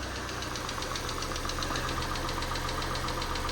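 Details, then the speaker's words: 2012 Citroen C3 at startup after the cam cover was refitted: light, quick ticking about four per second over a steady idle; still slightly tappy but improved; valve train tapping suspected. "Do you know what? It's still a little bit tappy, isn't it?"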